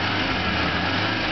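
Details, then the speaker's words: 1986 Toyota van at proper operating temperature, after its clutch fan was modified with a newly cut groove: a steady airy roar as the fan clutch engages over the idle; normal fan clutch operation. "I'm going to demonstrate how a clutch fan is supposed to work and at the proper temperature he as you can hear now the fan is engaging but you'll hear it quiet down here in a minute"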